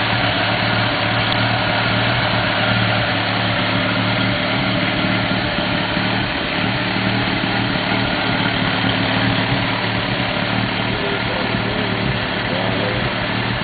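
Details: 1991 Mazda RX-7 NA street port with headers and possibly Racing Beat cat-back: lumpy, uneven idle with irregular soft exhaust pops (afterburn); owner doubts a vacuum leak, cause not pinned down.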